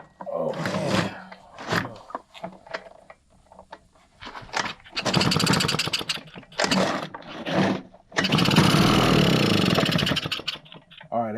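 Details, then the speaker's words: RedMax EBZ5150 blower, customer's crank no start: several pull-start rasps, then short buzzy bursts that die out, running only on sprayed starting fluid; spark confirmed, so the fault is fuel delivery. "hey right there lets us know that we got spark in there so obviously we have some sort of a fuel issue"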